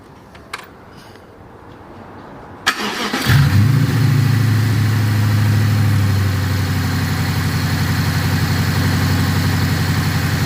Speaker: so the engine sounds completely different now the misfire went away you can clearly hear it